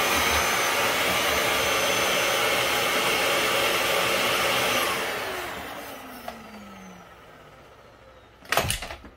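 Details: Dyson DC07 upright vacuum with the floor tool base moved aside to expose the brushes: steady high motor whoosh for about five seconds, then it shuts off and the whine falls away; running normally.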